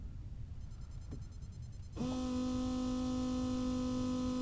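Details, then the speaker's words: 1998 Mercedes CLK 320 V6 with a crank-no-start fault: the fuel pump, fed 12 V directly, kicks on with a steady, even hum at one pitch, so the pump is fine and the fuse is suspected next. "can hear the pump running if I go that side here it's got a good ear so there's nothing wrong with the pump"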